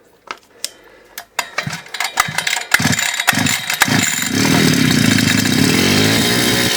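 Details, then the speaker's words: DWT BFS 43-42 petrol brush cutter, 42.7 cc two-stroke, after a crankshaft, bearing, seal and carburetor replacement: several cord pulls fail to catch, then it starts to a fast buzzing idle; hard starting, cause unconfirmed. "сейчас попробуем завести что она нам скажет с ручкой Газа не хочет Так мы пробуем еще раз"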